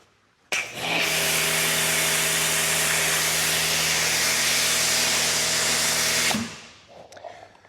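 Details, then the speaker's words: AR635 3 GPM pressure washer with an Armor Drift foam cannon: the pump starts, then a loud, steady airy hiss with a low hum holds about five seconds. Normal hiss from the cannon's aerating filters. "You can also audibly hear it. It sounds like a hissing cat out of this foam cannon, meaning that it's got some different type of filters up front here to actually aerate it a little bit more."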